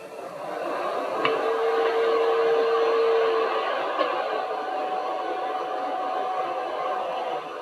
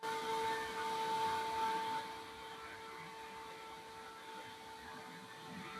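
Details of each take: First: Stock power supply fan from an Elegoo Neptune 2S 3D printer, running with the case grille held over it: steady airy whoosh with faint tones as airflow hits the grille and turns turbulent, far noisier than the fan without the grille. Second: Stock power supply fan of an Elegoo Neptune 2S 3D printer, running with power on, held up and heard without the grille: a steady hum with clean tones and a soft airy rush, no rattle or buzz. Fan running normally.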